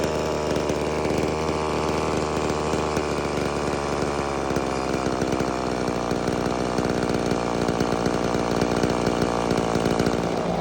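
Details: Homelite Super Mini chainsaw that previously wouldn't run, rev or idle, after repair: a high two-stroke buzz bogs slightly and rasps under load. It runs clean and cuts a big log well.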